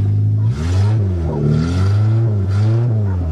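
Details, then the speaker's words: Suzuki Swift 1.3 after welding and a makeshift fuel system fed from a tank inside the car: fires up and revs cleanly, pitch rising and falling smoothly with no misses; runs fine. "It works perfect. This thing fired up great this year."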